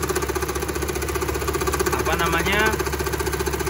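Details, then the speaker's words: Car engine idling with the AC switched on: a rhythmic, helicopter-like chopping whump about four times a second comes from the AC extra fan. The fan motor bushing is worn, and the motor needs replacing. "Nah ini Ini ac-ne udah tak hidupin terus di bagian sini muncul bunyi bunyi yang enggak nyaman"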